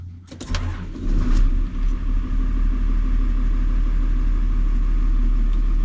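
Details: JCB Fastrac 3170 with 5.9 Cummins diesel, after sealing the leaking exhaust manifold with silicon to cure chuffing: starter whirr, engine catches and settles to an even steady low idle with no puffing or ticking; sounds better on startup.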